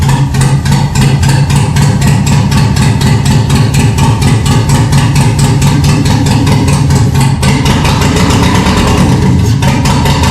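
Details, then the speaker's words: 1974 Chevy K10 with 6.0 LS swap on 2002 Yukon Denali harness, first start after sitting over 3 years, no exhaust or coolant: loud, raw open-header idle with sharp, even pulses about four per second; runs steadily, just unmuffled. "It doesn't have any coolant in it, so it's going to be loud, and we're not going to be able to run it very long."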